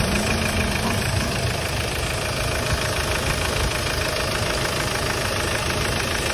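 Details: Hyundai Starex D4CB diesel idling during a check for suspected blow-by: even clatter with a steady, regular beat and no misses or extra knocks; no smoke from the dipstick tube or breather, so the engine sounds healthy.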